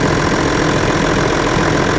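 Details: John Deere 7420 idling after Stanadyne DE10 injection pump replacement for ECU 1076 fault code, leak check of supply and return lines: dense, even diesel clatter, no misses or knocks; healthy normal idle.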